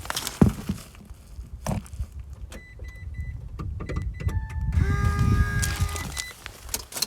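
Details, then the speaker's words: Electric car high-voltage system starting, phone placed on the floor: dull "dug-dug-dung" clunks about a second apart as the HV battery contactors close, then a steady hum from the brake booster pump; normal contactor startup. "So the buzz afterwards is actually the brake booster pump, but that dug-dug-dung."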